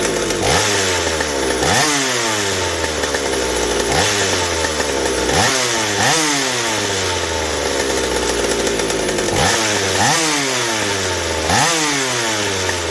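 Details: McCulloch 790 chainsaw with MC101 kart engine, header and pipe, tuned with bar and chain on: repeated blips up to a clean screaming top that never four-strokes; carb underfeeds fuel at high speed, running lean.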